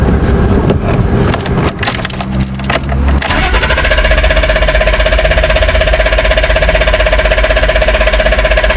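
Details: BMW E34 520i: the starter cranks a couple of seconds, then the engine catches into a loud idle. It had stalled on moving off in Drive and was hard to restart. Suspected vacuum leak; an intake air temperature sensor reading -36°C is the likely cause.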